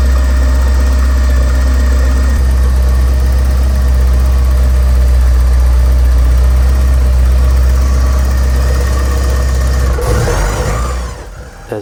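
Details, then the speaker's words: Car fitted with a Storch PLJ-MAF sensor replacing the original flap-type air flow meter, cold, in neutral: a steady, even low idle after a cold start, smooth with no misses or knocks, then shutoff. This is a normal cold idle. "you can hear, the car idles nicely."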